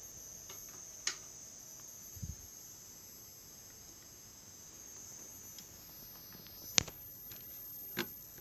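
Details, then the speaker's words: Induction coil driver with a six-layer coil on an ungapped nickel-zinc ferrite pot core, push-pull stage. A thin, steady high whistle with a few clicks, the coil singing; this squeal did not occur with the RFP460 transistor. "во начал пищать как бы вот такого такого писка не было вот с этим транзистором rfp 460"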